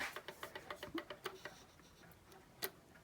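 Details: Seth Thomas pendulum clock circa 1875, movement just reinstalled and running without a face on a fairly level table: crisp evenly spaced ticks about four per second, no limp; in beat without bending the crutch.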